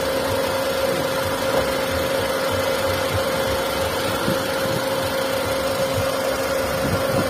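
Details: Hyundai Santro 1.1 L: steady, thin high whine over a quiet, rough idle that does not change. Abnormal engine noise, origin unclear.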